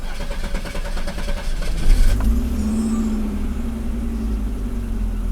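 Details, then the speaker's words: Pre-1990 Audi 90 after engine repair (broken fuel distributor, vacuum leaks fixed), restarted: catches after a short crank and settles to a smooth steady idle around 800–900 rpm; the intermittent idle control motor is working this time. "This time the idle motor is working fine again Sometimes it works fine Sometimes it doesn't work properly. If it works properly, it should be around eight to nine hundred RPM."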